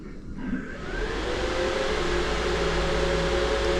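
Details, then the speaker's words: Holden VL Calais with Harrop 2300 supercharger install: small thermo fan for the transmission cooler, drawing about 2 amps with a 10 amp soft starter, restarted; whir builds then holds a smooth even hum, starting cleanly. "Yeah, that doesn't draw much amps at all. That's because I swapped it to the small one, so the bigger fan drew more amps."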